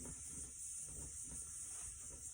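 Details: Older Coleman propane space heater, tank valve fully open, start knob held after lighting for about 45 seconds to warm up: smooth, steady high hiss with faint low rumble, normal propane flow while pilot warms.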